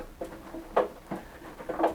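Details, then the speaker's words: Hotpoint NSWM 1043C washing machine (free street find) about 27 minutes into a test wash: sharp irregular ticks and creaks, about five in two seconds, seeming to come from the top; owner suspects a chassis crack, cause unconfirmed. "oh I can hear the ticking you can hear it creaking and Ticking sounds like it's coming from up here sounds like it's coming from up there"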